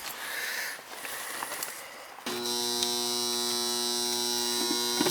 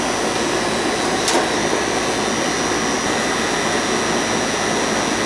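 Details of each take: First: Goodman outdoor AC unit that fails to start when called for cooling: a steady electrical hum with a buzzy overtone and no motor spin-up. The compressor stalls on start; a bad capacitor is suspected. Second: Goodman AC outdoor unit running after its bad, puffy capacitor was replaced: steady rushing fan air and an even compressor hum with no buzzing or stalling. It runs normally.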